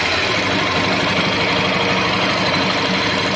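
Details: Honda Bros 150 motorcycle after ignition repair restored spark: engine runs steadily with even mid-pitched beat and light revving, no misfire or stumble; problem resolved.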